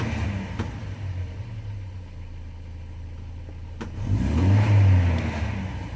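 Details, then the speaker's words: Mercedes 190E 2.0 natural gas conversion, just switched from petrol to gas. Low rumble, weak throttle blip without real pickup, then the engine dies, not powerful and won't idle; stalling from a misadjusted gas pressure reducer idle screw. "it is and it died damn worse than expected this is a natural gas you can see it's not very powerful it doesn't want to idle either this is worse than usual"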